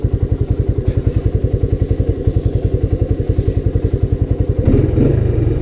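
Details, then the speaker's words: Honda Big Red ATC250ES after carb and intake cleaning of sticky deposits and fresh stabilized fuel with Sea Foam; crisp, even single-cylinder thumping about 3.5 beats a second, then the throttle opens cleanly, running beautifully. "So I'm going to move this thing into its new home. I mean, I'm happy with it. It's running beautifully."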